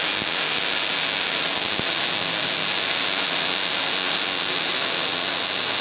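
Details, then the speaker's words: New Miller Millermatic 211 MIG welder on auto setting, bead run at about 10 degrees and half an inch away: steady even crackling hiss with no breaks, spits or stutters, a smooth consistent weld. "while shaking and give me the end shot give me the top shot and ain't perfect but it seems to work well I think this is going to suit our needs period"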